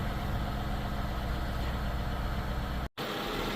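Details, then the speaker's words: 2014 Hyundai Equus Ultimate at 278,000 miles, started after replacing the seizing original water pump that caused a squeal, coolant topped off, heat running: steady, even idle with a smooth low hum and no squeal or chirp; normal idle. "Now about to start the car up and let the heat run, check for leaks."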